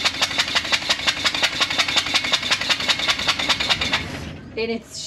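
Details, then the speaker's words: 1980 GMC P15 step van running with one spark plug removed: compression is lost each time the piston rises and pushes out the open plug hole instead of making power, heard as sharp chuffs about three a second over a rough-running engine. "it is that what it's supposed to sound like only well no because we're losing compression every time the Piston comes up instead of using that stroke to make power go out the exhaust it's pushing out"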